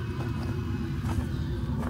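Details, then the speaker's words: Adria Supersonic motorhome diesel heater running before driving in sub-zero weather to warm the cabin and possibly the engine: steady low rumble and whoosh, no knocking or grinding, normal operation. "you hear that is making noise right now is the diesel heater. We'll start it up a little bit before we're going to drive here. Then it warms up the engine a bit, I think."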